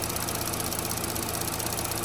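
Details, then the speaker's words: 2012–2018 Chevy Sonic 1.8L non-turbo Ecotec petrol engine idling after repair of a rough-idle complaint; even, steady idle with no misses or stumbles, running better, fuel trims back near zero. Normal idle. "okay engine's running seems like it's better"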